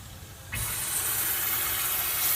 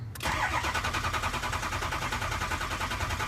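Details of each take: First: 6.0 Ford Powerstroke, engine off, shop air applied to the high-pressure oil system: a sudden steady hiss as air escapes on both sides past worn old-style 10 mm dummy plugs (worn completely through). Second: 6.0L Ford Powerstroke diesel cranking after IPR valve cleaned and reinstalled, watching ICP: strong, even cranking with regular compression pulses, no dragging or clatter; injection pressure builds past 500 PSI to over 2,000 PSI, normal cranking.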